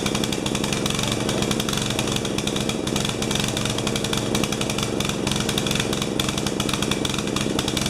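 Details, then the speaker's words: 12 HP Swisher bush cutter that backfires and runs badly after losing a piece off its carburettor: uneven, lumpy firing with stumbles and pops, picking up as fuel ran out. Apparently running rich, carburettor float level suspected far too high. "you can hear it at the end when it ran out of gas it picked up so joy guys sounds like it washed it's running rich letting itself"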